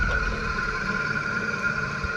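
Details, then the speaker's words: Trane air handler blower motor, no grease fittings: constant high whine over a rough low rumble that never smooths out; dry, worn motor bearings, motor being replaced. "bad. I don't see any grease fittings on it. Wonder why it's so dry."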